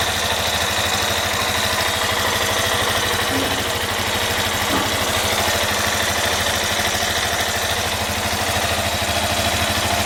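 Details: Yamaha Fazer 250 single at idle: steady fast tapping about three per second over the idle, an abnormal engine knock; owner suspects the connecting rod, cause not confirmed.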